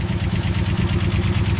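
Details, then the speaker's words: 1965 Ford Falcon with original 289 V8, sitting for years, cranks and runs; uneven idle with light quick ticking over the rumble from the top end; valve noise, sticky valves not seating properly. "Got a little bit of valve noise."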